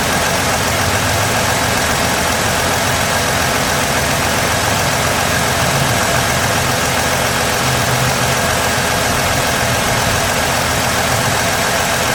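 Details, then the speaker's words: 2016 Ford F-150 3.5 V6 running after the correct starter replaced a wrong one; still clearing fluid smoke, with normal temperature and good oil pressure. Even, steady idle with no knocks or misses. Normal idle. "She's quiet though. I'm gonna go check the temperature."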